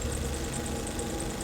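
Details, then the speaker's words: Husqvarna 701 Enduro during Dinaric Rally after overheating with radiator out of water; sharp metallic tick about nine times a second over weak idle, big loss of power, sounds broken, owner fears internal damage not fixable. "But I really felt a big loss of power here, and it just doesn't sound right. You know, it sounds broken."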